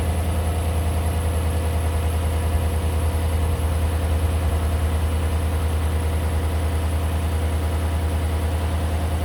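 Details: John Deere tractor that died earlier, restarted after an oil check while its owner listens for knocking. A low, smooth, steady idle with an even pulse and no ticking or knocking: a healthy-sounding engine.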